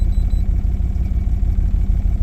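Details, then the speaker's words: 2007 Dodge Ram 5.7L HEMI V8 idling rough and lumpy after codes were erased; still shows P0300 misfire (owner thinks cylinder 3), plus P0032, P0118, P0456; owner plans oxygen and coolant temperature sensor replacement. "still says p300 which means I am pretty sure p300 says backfiring own I mean not backfiring but missing the own cylinder 3"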